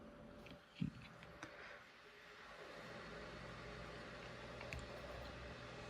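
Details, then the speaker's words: Power Mac G5 loading a game from original media: quiet whir after clicks swelling into a louder steady airy hum as the fans speed up under load; normal. "there you go oh God yeah all the fans is starting to spit up a lot more let's wait for it to load"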